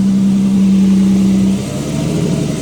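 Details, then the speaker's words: Exhaust revved to about 2-3k RPM after replacing a leaking exhaust gasket: a clean, steady note held at raised revs then easing off, with no ticking or puffing. The leak noise is gone and the exhaust sounds sealed. "Oh my mama. Yeah, hell yeah. I don't hear the noise."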